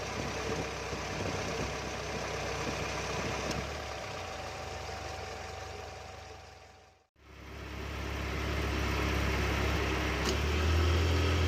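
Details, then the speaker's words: Car AC compressor magnetic clutch with worn pulley bearing, engine idling: faint rough hum from the pulley and a brief drop each time the clutch engages or disengages; worn AC clutch pulley bearing. "the pulley bearing is making a bit of noise sound its make rough sound each time the clutch tries to engage or disengage"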